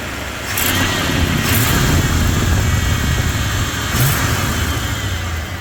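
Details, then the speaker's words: Carbureted Ford pickup V8 with a long exhaust, after a new accelerator pump diaphragm and air filter: deep quiet rumble swells on throttle blips and settles back without stumbling; engine sounds healthy and quiet. "Oh boy, it's beautiful. I still can't believe how quiet this is."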